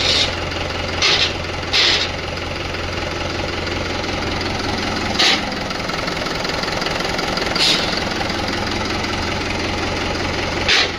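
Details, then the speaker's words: Tractor 575 diesel idling: five short harsh rasps as a gear is forced in, because even with the clutch pressed it does not disengage and the gear will not go in. "आता अ clutch दाबलाल तरी gear टाकायला अडचण येत आहे. Gear पडत नाही खरखर आवाज येतो काय त्याचे कारण काय आहे ते पुढे तुम्हाला व्हिडिओमध्ये सांगतो."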